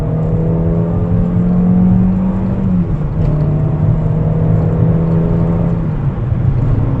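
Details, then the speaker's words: Peugeot 205 XS with refreshed 85 hp TU3S engine after budget rebuild, on road: strong engine note climbing steadily under hard throttle, brief dip at gear change, then pulling smoothly; healthy engine under acceleration. "It is a very good engine."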